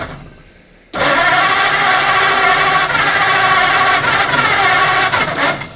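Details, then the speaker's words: 1940 Ford Deluxe coupe flathead barn find, gas poured down carbs: cranks and fires in ragged pops that never settle into running; carburetors stuck, but it lights off. "yeah those carbs are stuck so let's just let's just know that it's popping so that's definitely a good sign that the car is probably going to run"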